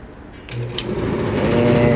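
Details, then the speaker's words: Whirlpool Cabrio gas dryer WGD8000DW3 that starts then stops within a second: drive motor wired directly hums up to speed and spins steadily; motor is healthy, fault suspected in the control board, where a burn mark was found. "the motor is good. It's spinning. You can hear it."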